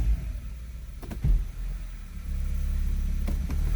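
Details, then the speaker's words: 2002 Honda CR-V AWD automatic, engine running, foot on brake, lightly accelerating in gear then shifting to reverse: low grumbling and a sharp kick/thud indicating a destroyed transmission mount, before mount replacement. "you can hear that grumbling that grumbling is an indicator that you have a bad mount"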